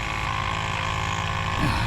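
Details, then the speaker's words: Dodge Ram Cummins diesel whose cruise control sets then gives up: the electric vacuum pump on the passenger side of the engine bay drones constantly and never cycles off. A break in a vacuum line was found and repaired. "The pump's definitely pumping. And one thing you could do is pull the line on the bottom."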